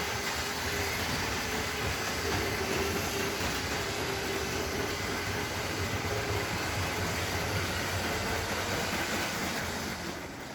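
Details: Lego Metro Liner train powered by two 9-volt motors on a track layout: steady motor hum and even wheel rumble at a constant pace with faint track clicks; runs smoothly and healthy.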